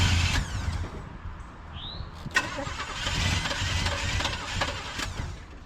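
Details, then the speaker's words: 1974 Chevrolet C10 on its third starter of the day: the new starter spins the engine briskly, it fires for a moment and dies. The starter works, but the engine is starving for fuel, possibly run out of gas on an incline. "It's doing all the starter stuff we need it to do. That's great news. All right, let's figure out why it's not getting gas now."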